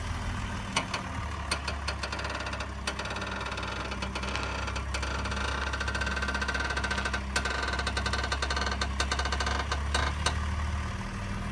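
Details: 2003 BMW Z4 3.0i E85 idling: scattered dry clicks and creaks at an uneven pace when steering; intermittent weird noise, only sometimes, source not pinned down.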